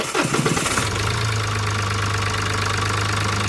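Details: Mahindra Bolero diesel after a loose, slipping alternator belt was replaced with a new one, battery 12.4 V before start and about 14 V charging after: brief crank, then a steady, even idle with no belt squeal.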